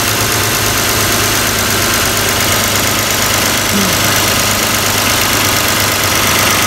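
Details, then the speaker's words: 2002-06 Toyota Camry 3.0L V6 idling during a PCV valve test: an even idle under a steady hiss, no misses or ticking; the engine sounds fine. "so squid start this engine and let it idle a different field back you can actually even hear the valve chicken"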